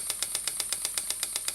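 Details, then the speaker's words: Stuart model "donkey" steam water pump (6 cm3, no crankshaft, slide valve, rated 40–400 strokes/min) running slowly on compressed air from a small compressor; light even ticking about eight beats a second, steady, normal running. "donc ça pompe alors là elle va tout doucement c'est une pompe qui peut aller jusqu'à 400 coups minute"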